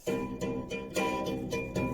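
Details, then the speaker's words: DeWalt DW739 bandsaw after fitting a new blade, top wheel raised to tension it: repeated plucked twangs, roughly three a second, each ringing a clear steady note; blade properly tensioned. "so this wheel at the top this this adjust it to lift this wheel up and down so we're tightening that now and let's listen to that"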